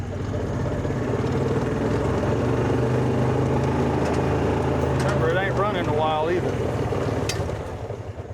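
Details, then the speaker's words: 2004 Kawasaki Mule 3010 petrol twin, earlier fitted with new coils: uneven, lumpy limping idle with missing power pulses, one cylinder dead because one coil power wire was pulled off during rewiring. "So, what I'm checking is the coils cuz uh back in the day when I first got this, it was running on one cylinder and the coils I put I put a new pair New set of coils on and all my wiring today. I I pulled one of the power wires for the coil off."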